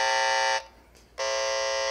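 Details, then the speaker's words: CD player with its cover off: a tracer amplifier probe near the faulty power transformer picks up loud, harsh mains hum leakage, which stays bad even with the unit switched off. "so this is plugged in you could see where the Transformer is it's really bad and if I turn it off it's still bad"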